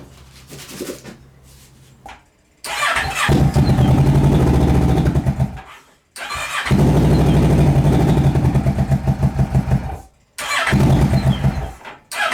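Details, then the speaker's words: Ninja 650 engine in a go-kart build, first start with newly finished muffler, very loud: engine catches and runs loud, revs in bursts with deep even exhaust pulses, no knocks or misses; healthy running. "I want to hear what this sounds like with with the new muffler protection because this thing is loud"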